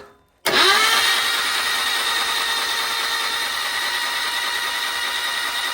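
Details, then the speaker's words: Rebuilt 1200 cc five-bearing Hillman Imp engine, Coventry Climax-based FWH head, plugs out, no fuel: starter spins it quickly to a steady even whir, oil pressure reaching 50 psi relief valve; healthy cranking. "so it's managing to blow off the relief valve at 50 psi which is just where I want it to be for a good a good speed of cranking"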